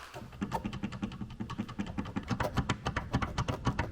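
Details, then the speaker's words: Loose right rear tail light on a car, found during a squeak and rattle inspection: quick uneven plastic clacks, three or four a second, as the light is rocked by hand; left light and bumper sit firmly. "Ну и Самое интересное это задний правый фонарь"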